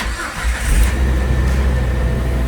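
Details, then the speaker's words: Jeep starting right up after a PCM computer replacement: brief crank, catches at once, steady even idle with no misses; check engine light gone, engine running smoothly. "at that folks fired right up the check engine light is gone engine is running smoothly"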